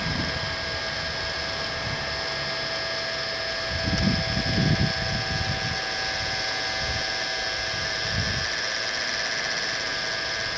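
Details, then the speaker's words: Small centrifugal suction fan (blower) on a radio-controlled Aster Flying Scotsman live-steam loco while the wicks are lit, on a very cold day: steady high-pitched whirring tone held constant, faint handling noise; spinning normally. "There's the centrifugal fan whizzing away, drawing the air through the boiler."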